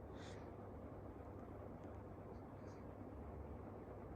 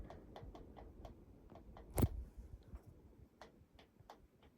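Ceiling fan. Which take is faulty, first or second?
second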